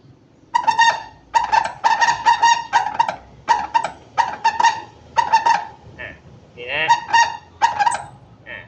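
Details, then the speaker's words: Yamaha Mio 115 dead rear shock squeaks as it compresses and extends. Putting it on the center stand gives a single squeak as the shock extends. Heard as repeated short squawks on each push and rebound; rod and body suspected bent, binding or cracked, with no oil leak. "เดี๋ยวท่านฟังเสียงดีๆมันจะดังกึดทีทีเดียวเพราะโช้คมันยืดตัวนะครับ"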